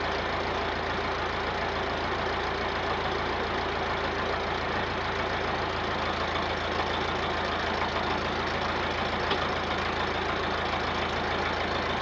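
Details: Massey Ferguson 50HX backhoe loader, four-cylinder Perkins diesel, hydraulic fluid just refilled, hydraulic pump suspected not driven: even steady diesel clatter at constant idle, no misses, surging or knocks; engine runs healthy.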